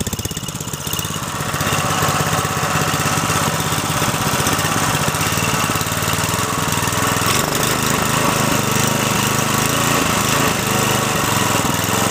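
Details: Briggs & Stratton 3.5 hp single, likely little-used, after carburettor clean: settles into a fast, even putter with steady firing, no misses; runs healthy.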